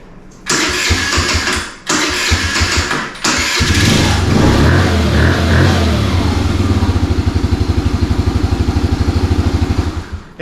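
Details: 2017 Kawasaki KFX50 kids' ATV after carb cleaning and draining water-contaminated fuel: two short cranking bursts die out before the third catches into a rough, lumpy idle; hard starting, afterwards runs and pulls well.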